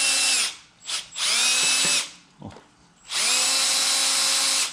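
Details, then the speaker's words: Abandoned Buick 350 V8 going into a 1968 Skylark convertible, priming oil pump with a drill on low speed after installing pump and pan: high drill whine in steady bursts, oil pressure climbing; normal priming. "We're gonna have loads of oil pressure, I know it. Here we go. We'll try her on low speed first."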